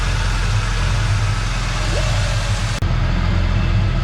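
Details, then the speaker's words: 1986 Ford Mustang SVO after replacing a tubular header with an OEM exhaust manifold for California smog: even low idle rumble with no exhaust leak ticking from the manifold; normal idle, some residual smoke burning off. "okay bolts in see if it'll run that's a lot better sounds a lot better"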